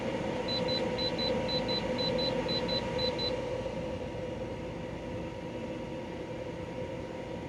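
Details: De'Longhi Pinguino portable air conditioner, model PAC AN370G1W, on full blast: run of short paired beeps at switch-on, then steady even fan and compressor hum; cooling well, running normally.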